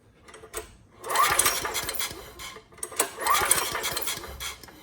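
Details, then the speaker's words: Homelite HG5000 generator, fitted with a new stator and rotor after a no-power fault, is pulled over by hand with the spark plug out. It gives quick, even chuffing through the open plug hole with no scraping from the generator end, so alignment is good. "okay and that sounds good you can also pull it slowly to quiet the top end noise and it sounds good i don't hear any scraping from there so i think we're good"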